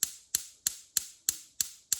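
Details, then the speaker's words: LPG cooker hob burner: igniter ticking about three times a second with no flame lighting; no gas supply, traced to water in the cylinder regulator, replaced. "and it sparks and it should light, and we're expecting this one to light, but it doesn't light obviously. You have to hold it down, get it to light, and it's not working."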